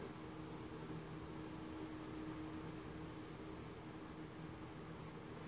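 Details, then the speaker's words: Vintage Sherwood S-7200 receiver after resoldering the driver board, input shorted: constant low hiss with a faint hum in the left channel that fades as it warms up. The noise is in the preamp; aging capacitors are suspected. "and we've got some noise in the left channel hmm okay that seems to go away as it warms up which would tend to suggest that capacitors are aging"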